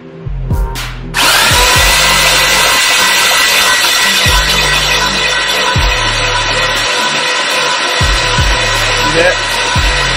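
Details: New LS engine being primed, cranked on the starter with a Harbor Freight push-button remote jumper (no ignition key) after 8 ounces of oil were added: a steady high starter whir over slow, uneven low thumps, not firing. Oil pressure came up afterward. Normal cranking.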